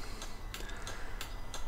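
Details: Volvo V50 indicating left while newly fitted towbar 7-way bypass relay sockets are tested: steady light ticking about three clicks a second in a quiet cabin; flasher relay cycling normally, socket confirmed working.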